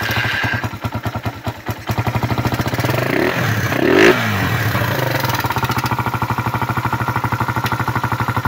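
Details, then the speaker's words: Suzuki Raider 150 that ran without oil, restarted after oil refill and new battery (regulator overcharging): rough idle with loud metallic ticking clatter over the exhaust beat, internal wear from oil starvation. "Patinggan natin yung makina dahil maingay yung makina nito. Dalawa ng natuyuan. Ayan yung pumipitik na yan. Pumipitik."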